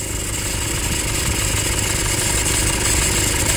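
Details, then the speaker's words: Toyota Hilux 2.5 diesel at idle: harsh gritty scraping at roughly three pulses a second from the accessory belt area, pointing to a worn alternator overrunning pulley with bearing noise behind it. "Tudo indica que temos aqui um barulho de alternador pío de alternador esse barulho mais acentuado aí tem um no fundo mais de rolamento assim ó de rolamento"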